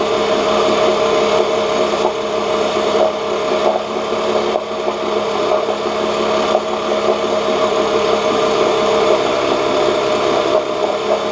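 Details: 1986 Johnson J4BRHCDE 4 hp Seahorse outboard, stored for years, previously overheating, test-run in water after water-passage cleaning and pump check: steady even buzz, no misses, knocks or surging; about 5 minutes running, a little hot; small known carburetor leak; runs well.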